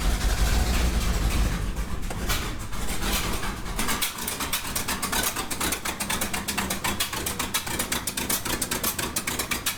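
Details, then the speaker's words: 1969 Ford F-350 original FE 360 V8 at idle: uneven loping idle stumbling every few beats; cylinder 1 zero compression, 100 with oil, owner guesses worn rings or cylinder walls; dead-cylinder misfire. "so yeah it's not running too great um i checked the compression on that one hole number one and it had zero compression"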